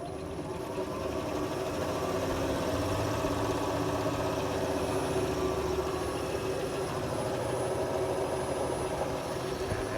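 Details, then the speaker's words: Nissan Leaf electric motor fitted to an Oliver tractor, first power-up, no radiator, 32 degrees outside, Arduino speed control set to about 800 rpm under load: smooth, even hum holding one pitch, no surging or grinding; normal steady run. "maintaining that speed it's sort of a idle speed for a normal ice engine"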